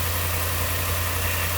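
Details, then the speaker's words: 2015 RAM 5.7 HEMI V8 idling with a steady, quiet low rumble after installing aftermarket headers; passenger-side exhaust leak fixed by replacing the kit gasket with a Fel-Pro gasket, no ticking. "quiet as a little church [Music] mouse gave it a little bit of a growl"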